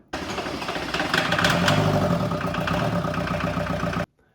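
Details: Chevette diesel running after wiring repairs and glow plug work: steady chugging clatter with a faint uneven knock, holding a rough but even idle; normal diesel running.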